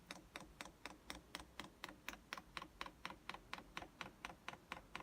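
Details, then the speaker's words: Chinese diesel heater, dosing pump priming after diesel was added: sharp, even, quiet ticks about twice a second while the fuel line is checked for bubbles. This is normal fuel pump ticking. "you let pump come on there that pumps pumping"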